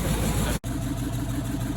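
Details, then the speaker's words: Range Rover 3.6 TDV8 diesel after turbocharger replacement, oil pressure up, warming up with exhaust not yet reconnected and intercooler oil still burning off: steady even idle, smooth low rumble, no knocking or misses. "pressure is there and looks like it's running let him warm up a little bit"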